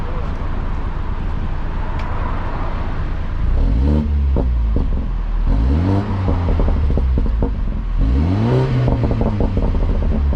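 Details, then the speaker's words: 2016 BMW 328i F30 after replacing the exhaust flap actuator clip: deep steady exhaust drone with rising revs and crackling burbles on lift-off, no rattle heard over city traffic. "here let me get a quick exhaust clip i'm in the city right now so don't mind the external noise but here we go"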